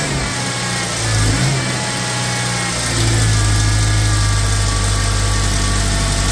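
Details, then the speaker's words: 2013 BMW X6 at idle after startup: a steady, nasty whine over the engine hum, confirmed by stethoscope as the power steering pump, which is not leaking and has plenty of fluid; power steering pump whine. "as you can hear, we got a nasty whine. I went ahead and used the stethoscope. It is the power steering pump. The power steering pump is bad on this."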